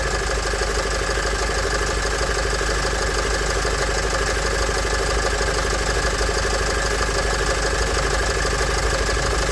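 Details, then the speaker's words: Nissan X-Trail 2.0 dCi diesel just restarted after replacing accessory belt, tensioner and idler pulley to cure a squeal on starting: steady even diesel idle, no squeal or chirp; the belt or tensioner was the cause. "Donc voilà, c'était bien soit la courroie, soit le tendeur. Je peux pas expliquer, je sais pas."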